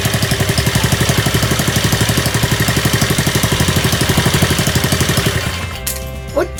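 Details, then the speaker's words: Honda CD50 single-cylinder engine, rebuilt after an oil leak, first start on the bench: steady, even putter with fewer abnormal noises than expected, no knocks or rattles, then shut off. "かかったね。思ったほど異音もなくかかっちゃった。"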